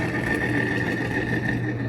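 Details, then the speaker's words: 2013 Chevy Cruze EcoTec at idle, customer complaint of whirring at idle and higher speeds: steady even whir with a thin high tone, no knock, from failed alternator bearings. "We got a customer complaint of some whirling noises at idle and higher speeds, just kind of in general."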